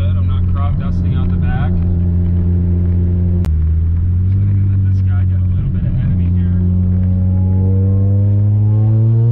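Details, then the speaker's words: 1995 Mazda RX-7 FD3S turbo rotary on a test drive after an injector swap, rat's nest removal, AWS bypass and new vacuum lines: pulls hard with a rising drone, then cracks and stumbles around 5,000 rpm under full throttle. Still breaking up; cause unresolved. "it's still breaking up really bad just like it was in the in the upper eyes right around five grand"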